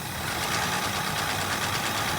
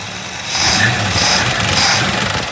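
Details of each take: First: 1965 Ford Mustang coupe V8 just after carburetor rebuild: quick, light, regular slapping ticks over a rough idle, keeping time with engine speed; cooling fan blades hitting the shroud, which still needs adjusting. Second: 1965 Mustang coupe V8 after the carburetor was rebuilt, no longer flooding over; the fan is hitting the shroud, which still needs adjusting. A burst of revving, then a steady, even idle with no stumbling or loading up.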